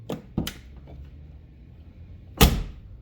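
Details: 1987 Mercury Grand Marquis with AOD transmission, door not worn out: light latch clicks, then one solid quiet thud with no rattle; normal door closing.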